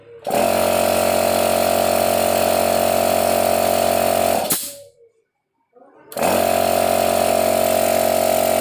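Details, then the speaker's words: Used air compressor check: switching the motor off manually and back on, it restarts straight to full speed with a steady loud mid-toned hum and clean stop, so the motor (dynamo) has no problem. "Saya matikan manual lalu saya hidupkan lagi masih bisa nyala ya jadi dinamonya nggak ada masalah"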